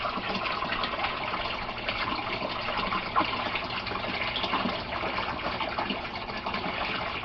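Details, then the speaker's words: Aquaponics gravel grow bed with a bell siphon and 1-inch PVC drain, after the siphon forms: a continuous rushing, gurgling pour with no sputter or stall as the bed drains fast, working properly. "So a few more seconds and we should start to see that thing drain really fast. And there it goes. So we have the grow bed draining."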